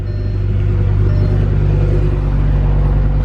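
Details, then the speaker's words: Audi S6 5.2-litre V10, cold start after sitting since yesterday, no warning lights; owner reports it bogs under harder acceleration. Deep, even rumble holding steady with no knocks or misses; normal cold idle. "Well, we're gonna start it. This is a cold start since yesterday."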